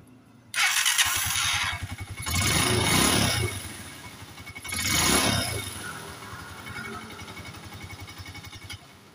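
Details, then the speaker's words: Honda TMX 125 that would not start, wet old spark plug replaced: single push-starts at once, blips twice, settles to steady even idle; weak primary coil/magneto suspected, as it earlier started only on kickstart. "Yan, namandar na siya, di ba mga ka-ride? Ngayon, painitin natin to, titignan natin kung hihinto."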